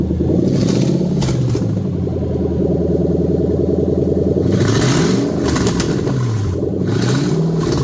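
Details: Toyota 3UZ V8 in a manual conversion with new wiring and performance tune (EVAP, rear O2 sensors and immobilizer off), test run: revs up and settles back smoothly, even firing beat, no knocks or misfires; normal running.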